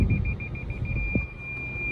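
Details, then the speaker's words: 2013 Lexus RX450h hybrid, ex-flood auction car, in reverse gear: quick high-pitched parking sensor beeps about twelve a second, merging into a solid tone as the obstacle nears; front and rear parking sensors working normally. "включить заднюю передачу вот там что то есть работать парктроники и вперед назад также заводит мотор"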